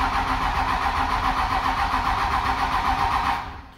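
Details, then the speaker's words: 1998 Dodge Ram, 5.9 Cummins 24-valve with VP44 pump: steady starter cranking about four turns a second with no firing, then stops; crank no start, wait-to-start light blinks; faulty engine control module not running fuel system. "and we get nothing and he said there and crank for everyone nothing's gonna happen"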